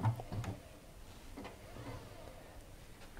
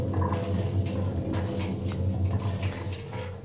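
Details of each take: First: you can hear that it's virtually silent so that would be the first indicator of worn bearings Second: Washing machine drum spun by hand: a steady, rough low grinding rumble from badly worn drum bearings. A machine with near-new bearings is virtually silent.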